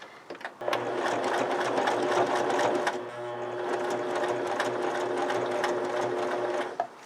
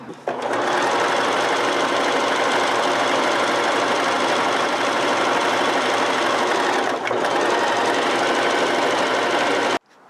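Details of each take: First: Sewing machine stitching saddle leather at slowed acceleration with the standard needle unchanged: steady motor hum, needle beat about three to four a second, slowing and straining midway; labored stitching through thick leather, a top job for this machine. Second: Oiled, threaded sewing machine switched to zigzag on the same single fabric layer: even, rapid stitching chatter at about three stitches a second, steady pace and tone; sewing normally.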